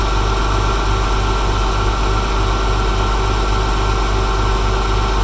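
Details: Porsche 996 flat-six at cold start idle: a light, quick ticking, roughly three to four a second, over a deep steady hum, cause unclear. A separate buzz is a loose bumper clip that fell into a crevice.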